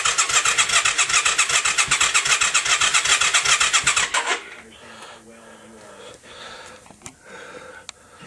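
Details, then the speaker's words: Yamaha XV535 '96 after starter clutch replacement, battery charged, in neutral: starter churns steadily at two to three strokes a second for four seconds, never catches, then quiet; occasional exhaust smoke puffs, slower crank on choke; crank no start. "we can get a little puff of the smoke out of the exhaust every now and then. The battery is charged. If I put it on choke, it cranks over slower, but the exact same thing does nothing."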